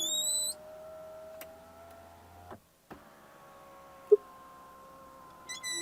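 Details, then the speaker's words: Ferrari Purosangue, 6.5L naturally aspirated V12 SUV with just 4,000 miles: faint thin whine holding its pitch while the power window travels, stops briefly, then resumes; unexplained window noise. "This is a super expensive luxury car. Yet, after just 4,000 miles, we're getting this noise from the window."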